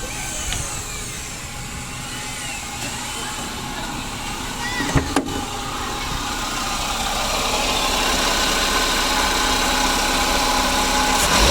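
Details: 2009 Daihatsu Gran Max at idle, owner complaint of humming: steady droning bearing hum over the running engine, pointing to a worn idler pulley bearing.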